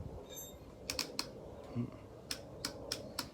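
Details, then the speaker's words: Free Honda Shadow Sabre 1100 with a fresh battery installed, lights working, first start attempt: only a few sharp dry clicks and no cranking in a quiet garage, consistent with a seized starter motor. "we're getting as a clickety-click clickety-click okay so I guess we got to troubleshoot a little bit farther now"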